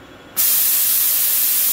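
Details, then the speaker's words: Brother Speedio machining center: compressed air hissing as it refills the machine's lines after the air supply was shut off mid tool change, leaving the spindle/ATC stuck and the machine still showing an air pressure low alarm. "so we've turned the air back on we can hear it filling up in the machine here in the lines"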